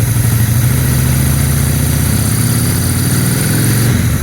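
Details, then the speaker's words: 2001 Honda Shadow VT600CD carbureted, idling fine without choke: tiny throttle blips lift the twin's revs cleanly without stumble. "had no issues with that but once I give it a tiny bit of throttle I can give it a little little little little bit of"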